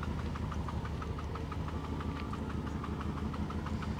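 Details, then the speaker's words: 1990 Mercedes 560SEC, 160,000 miles, idling: steady low idle with a light metallic tick about three times a second; something loose rattling, suspected exhaust hanger or exhaust leak. "I guess it's an exhaust hanger or something that is just kind of uh given up"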